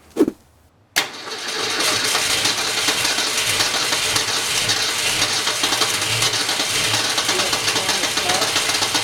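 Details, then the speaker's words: Newly rebuilt '65 Ford Falcon engine, restarted with carburetor mixture turned down and fuel slowly added while cranking without gas pedal; short crank catches and settles into steady, slightly lumpy idle, normal start before 2000 rpm break-in. "hold it right there ellie we did it now that car was finally on it was time to break in the engine"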